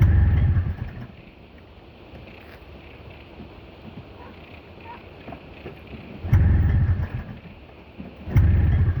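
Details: Snowmobile, very cold, left sitting overnight, second attempt, some corrosion in the carb, spark plug caps fully on: engine catches in short heavy bursts then fades to quiet each time; starts then dies, cause unknown.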